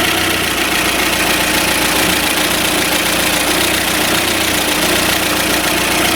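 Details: Warm engine with January 7.2 Euro 2 ECU and one oxygen sensor, valve clearances set to 0.25 intake and 0.4 exhaust. Even, steady idle with a light, regular valve tick over a smooth hum, no knock or misfire. Compression is 12–12.5, leakage about 2%; healthy.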